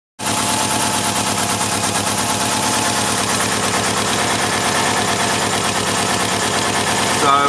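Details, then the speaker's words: Subaru Liberty/Legacy at idle: loud rapid chuffing, a fairly hefty exhaust leak heard from the centre of the car, same on both sides, traced to around the catalytic converter; later temporarily patched. "it sounds to be a fairly hefty leap coming from about the center of the car it sounds about the same on both sides"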